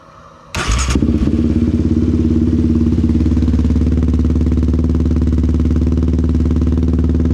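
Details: 2021 Yamaha Raptor 700 with stage 3 cam, fresh valve adjustment, FCI intake, Empire dual exhaust, AIS delete, Power Commander 5 tune: catches with a thump, settles into a strong, even, lumpy single-cylinder thump; normal running.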